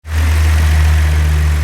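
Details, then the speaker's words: 2003 Nissan Pathfinder 3.5 V6 idling with a heavy, uneven low rumble and vibration; bad misfire with no misfire codes, only a cam sensor circuit code; scope and COP paddle found the cylinder 6 ignition coil not working. "nissan pathfinder uh playing this vehicle vibration but it has a pretty good misfire but i have no misfire codes"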